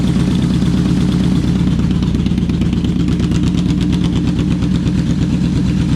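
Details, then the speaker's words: Yamaha Vmax V4, now running on all four cylinders after previously running on three: smooth, even idle at a slightly raised speed with a steady pulse and no stumbling; all cylinders firing. "all right what do you know now that's running on four cylinders the uh the idle was a bit bit higher"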